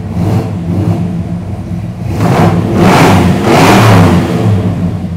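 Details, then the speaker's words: 1973 Chrysler Newport Custom 400 big-block, carbureted, warm with the thermostat open at 175: deep lumpy burble swelling cleanly on two throttle openings and settling back; healthy revving after three months sitting. "yeah oh man does that sound mean man"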